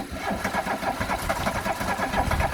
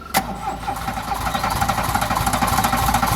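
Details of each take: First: Classic VW Scirocco Scala, first start after sitting 6 years, fuel cap off to vent tank: rapid even cranking with uneven puffs as cylinders try to fire but never run; fuel suspected, possibly too much. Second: Classic VW Scirocco Scala after sitting 6 years catches on cranking with throttle applied straight away, then holds a low, slightly uneven beat with throttle swells; runs, oil smoke smelled.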